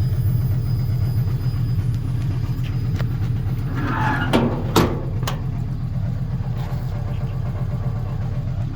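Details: 1958 Volkswagen Beetle with Subaru 2.5 naturally aspirated flat-four swap; deep even rumble with smooth throttle blips that rise and settle cleanly; normal idle and revving.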